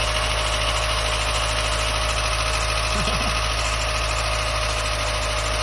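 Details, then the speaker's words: Mazda MX5 Mk1 at its first start in about 10 years, very cold, choke thought to be working: rough, loud idle with a fast tick of about three per second over the engine hum; idle rose again; the cause is unknown. "I just said that now it's gone back up. But it's ticking. I don't know if that's because it hasn't been on"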